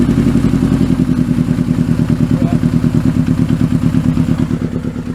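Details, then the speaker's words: Kawasaki Z650B four-cylinder after restoration, rebuilt cleaned carbs just refitted, mic behind engine: loping uneven idle with missing beat, running on three cylinders and dying, won't idle; one cylinder dead, fuel pumped into number one carb brings all four back. "only running on three cylinders again I'm gonna die yeah it dies it won't idle when it's only on three cylinders"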